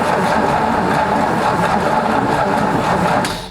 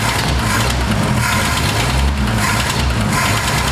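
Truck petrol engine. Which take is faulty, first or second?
first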